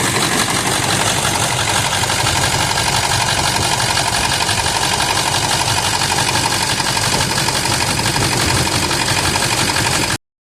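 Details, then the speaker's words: 1999 Ford F350 7.3 L turbo diesel, 217,000 miles, cold start on a summer day: loud clatter with an uneven, lumpy idle about three pulses a second; smoky oil burner, improves warm but never disappears; cause unconfirmed. "this is a cold start yet on a summer's day I know it's terrible he it does improve as the vehicle warms up but never disappears"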